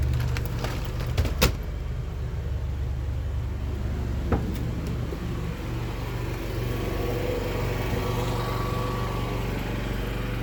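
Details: Yamaha generator with NPS eco kit under air-conditioner load, about 58 dB after one AC: low, steady drone settling evenly as heavier load comes on; generator holds speed and runs normally.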